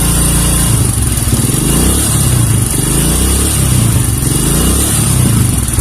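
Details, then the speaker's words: Kawasaki KLX 150 vacuum carburetor with slide spring removed: revs climb sluggishly and sag back on each throttle blip, unsteady, near dying; hesitation and stalling from missing carburetor slide spring. "यह एक स्कैप की तरह स्थिर नहीं है, इसे उठाना चाहिए, यह नहीं उठाएगा, यह उठाना नहीं चाहता है, यह अनियमित है, आप यहां देख सकते हैं कि यह अब स्थिर नहीं है"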